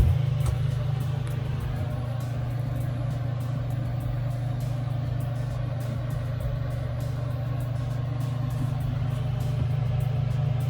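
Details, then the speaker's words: Crew cabin marine air conditioner on a 1988 Hatteras 65C running on newly replaced controls: steady low hum at constant pitch with no surging or rattles, and cold air from the equipment-room vent. Running normally. "on oh there it goes right that's good there's actually two vents there's this vent in the equipment room that's already cold nice"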